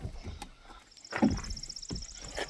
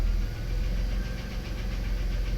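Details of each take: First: Minivan after replacing the fuel lines and hose and reinstalling the fuel strap to fix fuel pressure loss: short crank, catches promptly and settles into a smooth even idle under a steady chime; normal start. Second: Early-1990s Dodge/Plymouth Grand Caravan/Voyager minivan at idle with good oil pressure: light, quick ticking over a smooth, low idle hum, possibly top-end valvetrain. The owner suspects it needs an oil change.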